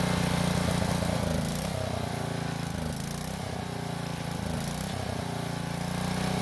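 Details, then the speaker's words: Powermate generator that sat for several years, running after a carburetor cleaning; compression is only 65 psi. It runs unevenly, speed sagging and recovering with a labouring note. Rough running and down on power, likely from low compression. "So the reading was only 65 psi, which I hate to say is not a lot and will mean the engine will be down on power. However, it is just enough for it to run."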